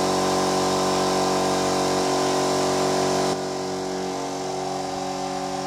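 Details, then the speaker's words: Kraftdekker KD-50L compressor switched on to fill its 50-litre tank: steady motor drone with fast, even piston chatter and no knocks or rattles; air compressor running normally. "now what i'm going to do is i'm going to turn it on and we'll see how long it's going to take for the 50 liters canister to be full"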